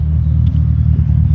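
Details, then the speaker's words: BMW E31 850i V12, abandoned since 2011, after complete mechanical restoration and first drive: deep, smooth, even exhaust burble with nothing sharp on top, healthy idle as the exhaust seemingly breaks in. "Much deeper burble from the exhaust."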